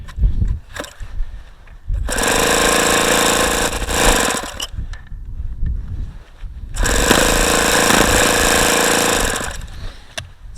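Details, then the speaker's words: ASP FS65 four-stroke model engine, 5% nitro, OS F plug, APC 12x6 prop, very cold day, case about 36°F: starter whirring bursts with a few weak pops that never catch; cold no-start, cause unconfirmed. "like it's wanting to fire but it just isn't"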